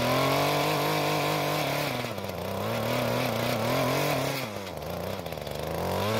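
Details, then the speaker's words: Mantis two-stroke tiller after carburetor adjustment, tilling hard dry dirt under load; buzzy two-stroke sags briefly as tines dig in, then recovers and holds steady revs; healthy running under load. "Now, once the tines broke through the hard bit on the surface, it didn't jump around as much, and it seems to work pretty well."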